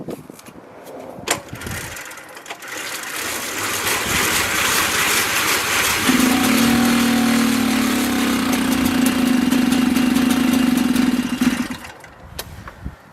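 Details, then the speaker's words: Mobylette X1 two-stroke moped after an engine rebuild. After fumbling it catches, buzzes unevenly for about five seconds and dies, smoking heavily. Hard starting and stalling from an over-rich mixture: an oversized main jet. "And it stops, and there's a lot of smoke. I think you could pick that up."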